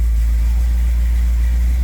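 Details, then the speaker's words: Ford F100 V8 with carburetor after new vacuum port plugs and power steering hose clamp fix: deep, steady idle with even low rumble, no stumble or hunting; runs much smoother. "and it already idle smoother [Music] so the good news runs so much better"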